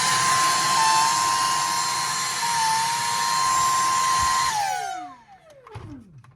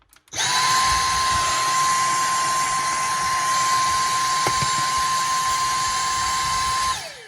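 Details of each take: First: Dyson handheld cordless vacuum; piercing steady whine near 1 kHz over airflow, gliding down at switch-off, from the over-flexible O-ring gasket at the purple filter vibrating; fixed by packing earplug cord into it. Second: Dyson handheld cordless vacuum after fixing a whining noise caused by the purple filter's loose rubber O-ring gasket vibrating, resealed with earplug cord: steady even motor tone with soft airflow rush, then winds down.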